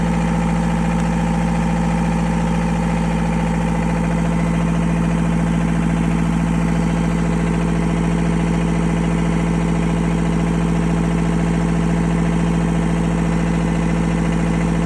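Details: Narrowboat diesel after in-situ repair, running while air is bled from system: steady even idle, regular low thump about two per second, no misses or knocks; healthy.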